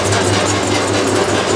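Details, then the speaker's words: 1989 Maytag A512 Fabric-Matic washer during agitation: a buzzy, rattly overtone over the drive hum from the loose upper back panel. A magnet was tried but it still vibrates heavily. Finding: loose panel vibration. "you can see there's one of the back um the back panels back there it's the one up top that's causing all the vibrations i tried to stop it with the magnet and i think it probably worked on that one but not going up top it still vibrates a ton"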